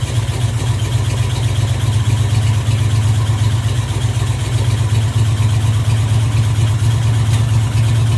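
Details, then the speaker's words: 1986 Camaro Z28 350 small-block V8, previously backfiring, now running off the tank with oil pressure and charging: deep, even idle burble with no knocks, ticks or misses; healthy idle. "All right. That's idle. I don't think there's anything wrong with this motor. It's running off the tank."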